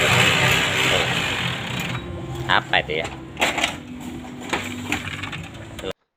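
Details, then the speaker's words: Canon iR 4570 photocopier makes a loud, rough motor-like grinding during warm-up, easing after a couple of seconds; machine is super noisy and paper also fails to feed up. "ocopy masalah yang akan kita bahas kali ini adalah unsur kopi yang super berisik seperti motor ini malah suaranya suara ini muncul ketika pemanasan"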